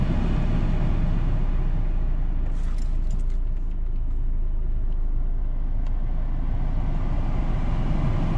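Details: 2013 Ford Escape heater blower after cleaning out a rodent nest and installing a screen: even, low steady purr with no vibration, rattle or scraping; blower runs smoothly.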